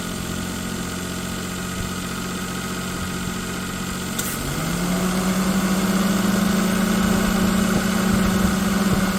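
Engine idling with a steady rhythmic pulse, about three per second, then the tone steps up slightly; there's an abnormal noise, cause unclear.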